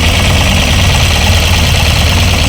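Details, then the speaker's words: Tata Nano after a loose AC compressor relay connection was fixed. Steady, even petrol idle with the compressor engaged and blowing cold air, with a constant low hum on top and no knocks or squeals. Normal idle with AC running. "Compressor पर। यहाँ से ठंड से तेज हवा चल रही है।"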